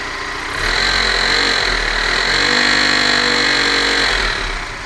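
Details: BMW E46 318i with M43TU four-cylinder idling then revving briefly, dull rhythmic bottom-end knock traced to the balance shafts; oil pan removed to inspect.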